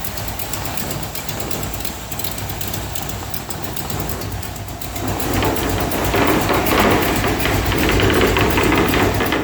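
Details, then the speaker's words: V8 hot rod with new exhaust system and plug wires, timing set: quick even ticking puffs about four a second over idle that swell with revs; small exhaust leak at one header. "burning boards are rattling like crazy loading up a little bit on fuel there's a small leak over here in this header"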